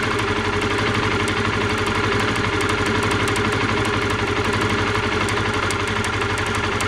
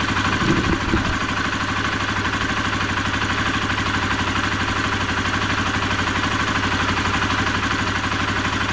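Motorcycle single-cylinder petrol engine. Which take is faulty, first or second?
first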